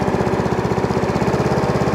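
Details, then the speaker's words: Hayter 41 Autodrive variable-drive mower after new belts: even, steady single-cylinder putter at roughly fourteen beats a second, no misses or knocks; healthy idle, though a catch, possibly a seized drive-chain link, remains. "so it goes fast it goes slow uh idle as a quantum should yep lovely"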